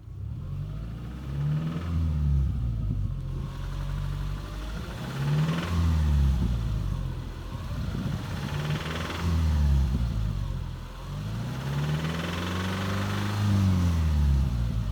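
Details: 2009 Subaru Legacy petrol engine revved repeatedly: a knocking sound under the rising and falling engine note; the owner wonders whether it is rod knock or tensioner knock; unconfirmed.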